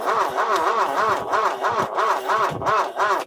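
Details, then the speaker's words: Ford Courier truck that sat 30 years, newly rebuilt starter fitted; rhythmic, somewhat uneven whirring cranking about three beats a second, still slower than normal; owner suspects a weak battery; slow cranking. "still a little slow the battery's probably weak"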